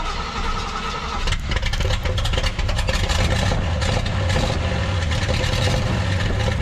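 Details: 1968 GMC half-ton pickup V8, carbureted, first start in about 20 years after fixing carburetor leak; fast steady idle about 1100 rpm, roughly 300 rpm too high, vacuum leaks suspected; high oil pressure.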